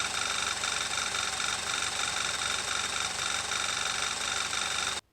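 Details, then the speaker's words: Audi A4 B8 Avant 2.0, history of oil consumption, briefly started to warm oil before oil change: loud hiss with thin high tone and faint uneven ticking near intake manifold at idle; sounded like more than valvetrain noise, cause unknown. "but what I also just found is this interesting noise coming from the intake manifold I think"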